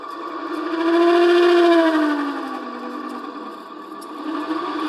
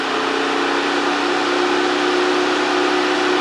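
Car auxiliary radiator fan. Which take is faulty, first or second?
first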